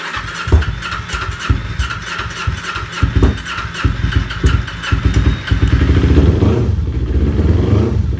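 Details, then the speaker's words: Kawasaki Ninja 250R, genuine cold start on low fuel after new fuel pump primed: uneven catching and sputtering builds into a steadier low idle; starts and settles normally. "Just waiting for the fuel to come through. But it is good. It's good. She's running."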